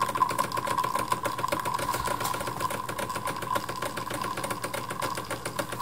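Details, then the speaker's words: Decent Espresso DE1+PRO, about a week old, pulling a shot on a flow profile: steady mid-pitched pump buzz with a light rattle; pressure rising smoothly without a spike, peaking around seven bar. "okay so I can see the pressures already rising now at fifteen seconds twenty seconds there we go see that no spike we're following that flow line"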